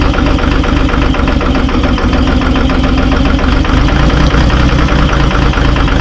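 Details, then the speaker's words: Terex 72-31 loader with 6V53 Detroit two-stroke diesel, first start in 20 years on ether and 20-year-old fuel, smoking heavily. Rough, uneven, loping idle under heavy rattle as it warms. Owner suspects a couple of hung-up injectors. "Heat up here. Sounds like it might have a couple injectors hung up."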